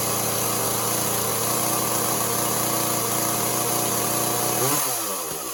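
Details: Echo CS400 chainsaw after OEM oil pump replacement, before carburetor tuning: steady high revs, uneven and raspy, then winding down; runs poorly, owner says it needs tuning, muffler mod and port job.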